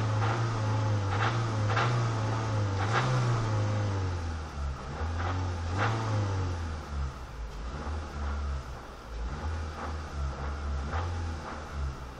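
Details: Renault Megane 2 engine revving up and down with a distinct knocking tap that rises and falls with revs; engine knock, owner unsure whether piston pins, main or rod bearings, or camshafts.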